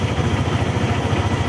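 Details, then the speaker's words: Motorstar ADV 175 scooter, about six months old and rarely used, idling after a switch problem was sorted to cure a no-start: steady, even low putter with a regular beat, no misses or knocks; normal idle. "Sa switch lang pala. So ayun lang guys. Umandar na ulit ang ating motor Motorstar ADBI."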